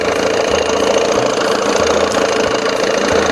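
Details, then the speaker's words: 1987 Johnson 6 hp two-stroke outboard, primed with 1–2 pumps, mixture screw out 1.5 turns, smaller jet fitted: quick, steady buzzing idle with no misses or surging. Runs clean and even. "Woohoo! Boy, she sounds good."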